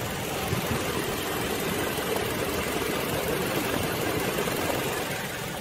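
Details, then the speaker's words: 2009 Toyota Tacoma after driving, with Snake Oil additive added to engine oil and transmission: steady, even idle with a soft rumble and no knocks or ticks; owner thinks the engine sounds a little quieter. Normal idle. "drove real good i think the engine sounds a little bit quieter"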